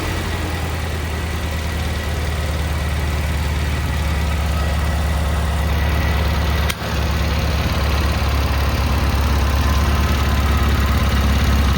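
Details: Cub Cadet Cyclops lawn tractor, Kohler 18 twin, after replacing head to fix a badly blown head gasket, started with battery pack wired to starter; smooth, even idle with steady low beat, no knocks or misses; running healthy.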